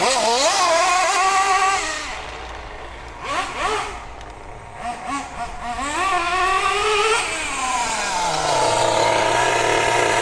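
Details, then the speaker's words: MP9 nitro RC car, high-speed needle leaned slightly from the break-in tune: crisp two-stroke buzz climbing and falling freely with throttle blips, revving clean and quick; a big improvement. "Let's do another one. Wow, what an improvement."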